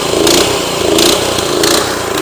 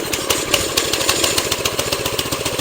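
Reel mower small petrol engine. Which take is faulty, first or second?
first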